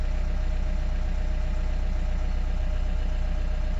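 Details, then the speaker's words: Ford bought at auction that was sold as dead but starts, smoking and shaking: deep, heavy idle with a low thumping pulse about four a second; rough idle. "you know what the problem with the engine it's smoky smoky and shaking 100% scum"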